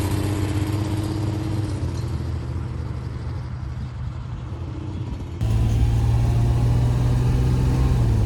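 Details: 1976 Ford Pinto after fuel pump was rigged with new wiring run over the hood, pump not bad: low steady engine drone with firm even beat, picking up slightly at end; running smoothly after restart.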